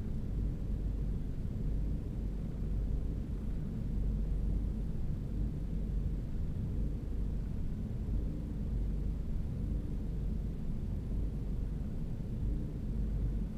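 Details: 2011 Ford EcoBoost engine at startup: low, uneven, loping rough idle with no clear rhythm; cause unknown.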